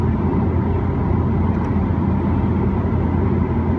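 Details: Roof rack crossbar at 40 mph after wrapping a bungee cord four times around it: steady low road and wind rumble with no whistle; the wind howl was previously most audible at 40 mph.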